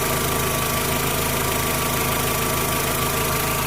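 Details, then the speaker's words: VW Jetta A4 2.0 that had misfires on cylinders 1 and 3, rough idle and bucking, after replacing spark plugs and wires: even steady idle, smooth regular beat, no stumbles; normal idle after repair. "pero ya no se siente tembloroso el carro del instante que de repente se sentía como que así como que brincaba el motor ahora si está bien parejito"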